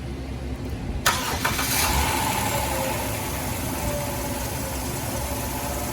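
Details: Dodge Grand Caravan after water pump replacement, started with the coolant cap off for bleeding. A quiet hiss, then it cranks, catches and settles into a smooth idle with no squeal or knock. The old leaking pump's failed bearing had caused the belt squeal.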